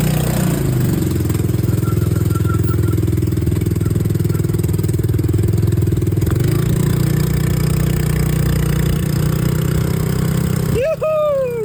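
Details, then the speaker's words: Honda Helix scooter, first start after rebuild, running on old fuel: the small single picks up and holds a steady, even idle without hunting or dying. Normal running. "Once I got it running, I just couldn't wait. I had to take it for a quick spin"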